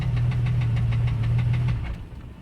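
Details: 1989 Jeep Cherokee XJ Renix 4.6L stroker I6 (aftermarket pistons), started knocking after 700 miles, temperatures getting high: heavy deep knock about eight times a second over the running engine; one piston slapping its cylinder wall.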